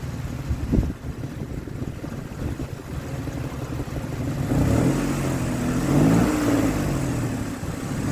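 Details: 2003 Ford Explorer that failed inspection for misfire, after replacing bad ignition coil: revs rise and fall cleanly with throttle, no misfire or stumble; slight roughness attributed to worn tensioner: normal running under revving.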